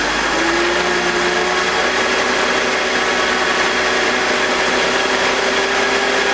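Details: BMW E46 M52TU B25 engine just started, VANOS connected: steady idle with faint gritty grinding and hiss, audible at the beginning; suspected VANOS fault.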